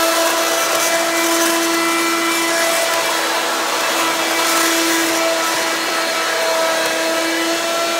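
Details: Hoover Quik Broom II S2141 stick vacuum damaged in shipping; harsh steady high whine over a loud airy roar, louder than an S2095; owner unsure if the shipping hit unbalanced the motor or broke the fan.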